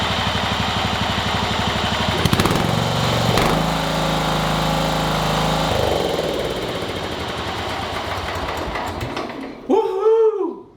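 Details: John Deere Hydro 185 lawn tractor, given as no-spark no-start, running after repair: small petrol engine with a steady, even beat holding speed, then winding down; sounds healthy.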